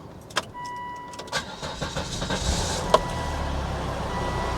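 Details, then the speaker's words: 2003 Volvo XC90 D5 diesel, started after fitting new mount: clicks, crank, then steady even diesel idle; feels normal for a D5, though a chugging that stops when something is switched off remains. "Yep, feels fairly normal for a D5 actually."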